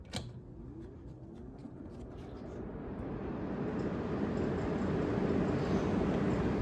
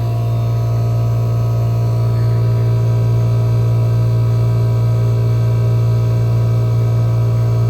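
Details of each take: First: 1974 Friedrich Quietmaster air conditioner on low fan, with a 35/10 µF capacitor zip-tied to stop it rattling and windings checked fine. A soft, even rush of air builds and holds steady with no rattle or hum: normal quiet fan operation. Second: 1974 Friedrich Quietmaster air conditioner on low fan with about 47°F supply air; owner may fit a longer cap tube. The compressor gives a strong, steady low hum that can be heard from a distance, with no knock: loud compressor hum, cause unknown.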